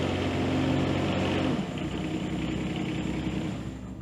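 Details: John Deere 17G mini excavator diesel just after a fuel filter change and bleeding: revs with an uneven, slightly lumpy beat that settles as the remaining air works out of the fuel lines.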